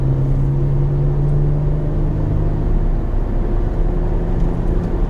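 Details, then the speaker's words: Peugeot 406 V6 while driving at 2,000 to 3,000 rpm, gone above 3,000 and not heard when stationary; deep steady drone: vibration at the joint where the center pipe meets the pipe from the engine. "So the sound, that sound is actually because of the vibration, and it's coming from that joint where the center port is attached to the other pipe that comes from the engine. So that's where the noise is coming from."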